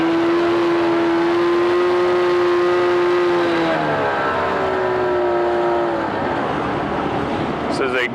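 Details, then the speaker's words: 1988 Mercury 25hp two-stroke tiller outboard, 20in shaft, electric start, freshwater, new lower unit lube, in test tank pumping water: fires up and settles to a steady even buzzing idle, no misses or knocks; good-running, normal idle. "is a good running freshwater engine."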